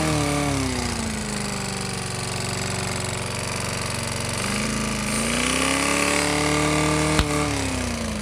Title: BRIGGS & STRATTON GETS A BREATH OF OXYGEN (rod knock)